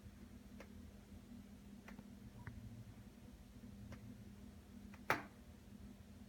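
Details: Skylight in a quiet room: faint scattered ticks, then one sharp crack, typically during warm daytime. The popping and cracking is likely from heat expansion.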